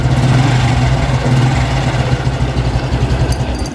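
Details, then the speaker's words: Honda Revo X 2017 FI motorcycle revved: steady, smooth low hum with no tick from the right-hand clutch case; a tick when revving would mean worn clutch shoes needing replacement with the housing. "Untuk bagian bak kanan tuh harus, nah bak kanan nih nggak boleh ada suara cek. Nah kalau digas tuh suaranya aman gitu."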